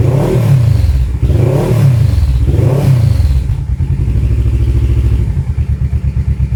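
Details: Kawasaki KLE 650 A7 twin bought at auction, warmed up with choke off. Three clean throttle blips rise and fall smoothly, then a steady, even idle thump with no knocks; very loud aftermarket exhaust missing its baffle. Normal running.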